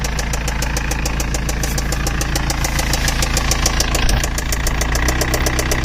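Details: BMW E91 320d 2006, M47TU2D20 diesel idling; earlier squeaking changed to knocking; sharp regular knocking about three to four times a second over the idle; engine knock, cause undetermined.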